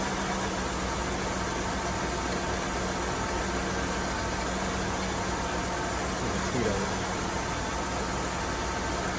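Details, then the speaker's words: 1998 Oldsmobile Aurora V8, sat for years, after repair; steady even idle under some hiss, no misses, knocks or hunting; earlier rev-up and hiss caused by a small flap inside the intake manifold, not the MAP sensor. "So that was the problem. So it wasn't the MAP sensor. It was that little flap inside of the intake manifold."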